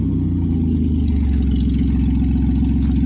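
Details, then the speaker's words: 1990 Dodge Grand Caravan LE running with the exhaust bolts sawn off and the exhaust disconnected: a loud, raw blatting note with heavy low pulses that quicken as it revs. The owner believes the catalytic converter is shot. "she runs now that's enough of that a it smells good so there's our catalytic converter right I do believe that the catalytic converter is shot"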